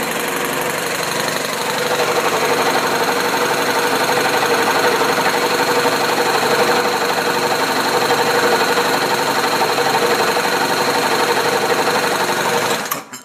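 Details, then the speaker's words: Newly installed used air compressor on new 240V supply with 12-gauge wiring, rated about 100–120 psi: even rapid chugging about four pulses a second, steady pitch, no knocks or squeals, reaching 120 psi; owner unsure but thinks sound normal; normal compressor running. "it's up to pressure 120 pounds will blow our catchment here I don't know if that sound is normal I guess it probably is"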